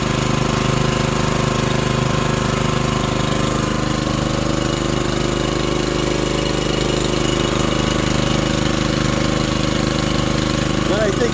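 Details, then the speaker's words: Honda GX240 engine on a manlift, electric choke, idling after replacing the very loud muffler: steady, even idle with smooth low rumble, no popping or rattle; about half as loud as before, sounds good. "that's about half as loud as it was I couldn't talk over it sounds good"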